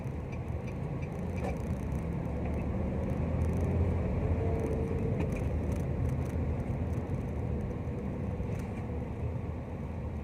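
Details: Nissan Almera test drive at road speed after rear wheel bearing replacement (previously replaced June 2019); before, a humming drone came from the rear wheel around 40-50. Now steady tyre and road rumble, no droning hum from the rear; wheel bearing normal.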